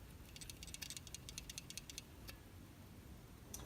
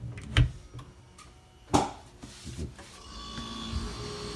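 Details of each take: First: Failed Whirlpool refrigerator start relay, removed, from a fridge that stopped cooling: quick bursts of slight rattling from a loose part inside as it is shaken. This rattle indicates a bad relay. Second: Whirlpool refrigerator after replacing the faulty start relay: on plugging in, a sharp relay click, then a low steady hum rises and holds as the compressor starts normally.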